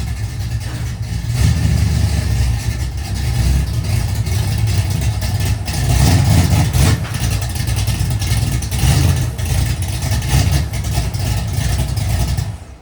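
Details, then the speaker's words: Race car engine revving and holding load on its last run before chassis strip: uneven, stumbling exhaust note, not running up to snuff; owner suspects fouled plugs, misfire possible. "You can tell she's not running the best. I think we fouled the plugs in it or something."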